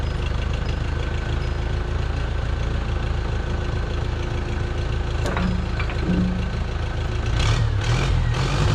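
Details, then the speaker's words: 1968 Case 580CK backhoe, 188D diesel, rebuilt after seizing, trying the transmission gears; heavy diesel idles unevenly with a lumpy, irregular beat and won't rev properly; rough running from injectors that spray from only one or two holes. "Well, it runs not very good. I will say that it really needs injectors really badly. I did spray test them and they only spraying one or two holes."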